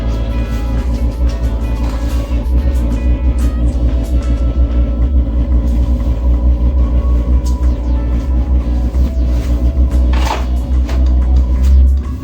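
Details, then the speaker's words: Portable all-in-one diesel air heater, restarted after a failed first ignition and a shutdown cycle with white smoke: deep, steady, even burner roar with no surging or pops. The burner is lit and running normally, blowing hot air. "Ok, fuori ho fatto una fumata bianca, riaccendiamo, proviamo a vedere. Ok, il rumore del bruciatore lo sento andare."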